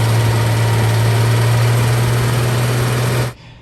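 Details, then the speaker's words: Stock BMW N54 engine ticking while driving: steady drone with fast light flutter at constant revs; tick louder underneath engine, faint at manifold, not at top of engine by stethoscope; owners suspect an exhaust leak. "so yeah it's it appears to be louder underneath the engine uh we went through the whole motor touching all the metal points that we can with the stethoscope and the tick you can't really hear at the top of the engine you can hear a little bit on the manifold but we think it's an exhaust leak"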